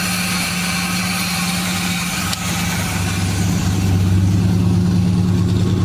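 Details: 1976 GMC Sprint idling with the accessory belt removed (pulley and A/C compressor not locked up, not running hot): a steady low idle with an even hum and no squeal or chatter; the earlier unidentified noise stopped with the belt off.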